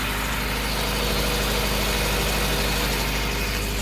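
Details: Honda Civic EF sedan, $500 turbo challenge car, running after the unmounted main relay that stopped the fuel pump was fixed: steady low idle with an even pulse about three per second, no misses or knocks.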